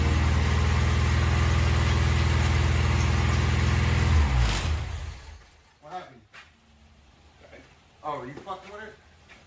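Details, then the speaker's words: Honda K20 swapped into Miata, first start attempts, untuned, on Honda ECU: about four even starter beats a second for four seconds, no catch; fuel gauge shows empty, suspected out of gas. "according to the fuel gauge, we have no gas. >> Sounds like we have no gas."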